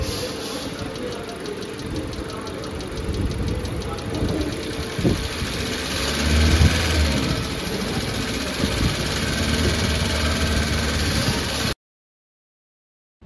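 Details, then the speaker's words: 2023 Maruti Suzuki New WagonR, K-Series Dual Jet Dual VVT engine: quick light ticking, about four a second, over steady idle right after start-up, traced to the cylinder head; tappet cover to be opened for inspection. "तो आपने सुना होगा जैसे हमने गाड़ी को start किया तो इसमें से टक टक की नॉइस आ रही है तो फाइनली हमने जर्व किया हमें जो साउंड सुना रही है वो आ रही है हमें हेड की तरफ से"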